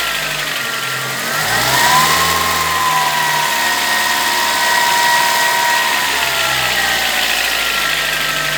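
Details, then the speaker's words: VW Gol G4 two-door four-cylinder, recently bought, already decarbonized: whistling tone rising and falling with revs, noise only when accelerating and normal otherwise; cause unknown, phone recording at the front of the car. "mas quando acelera ele apresenta aquele barulho e aí eu tô querendo saber o que pode ser"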